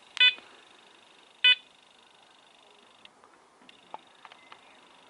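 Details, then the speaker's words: Apex metal detector with Sharpshooter coil, relics mode at full sensitivity. Two power-up beeps, then only a faint steady hum and tiny ticks, quiet and stable, unlike the chattering stock coil. "the sharpshooter cut sharp shooter coil made for the apex quiet as a mouse"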